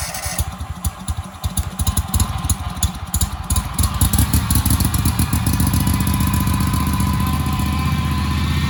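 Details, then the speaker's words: Husqvarna commercial zero-turn mower sat four years in storage: several seconds of slow, uneven cranking with sputtering coughs, then catches and runs steadily; owner thinks it just needs long cranking. "but i just cranked it and it was starting to cough so i think you just gotta crank it for a while"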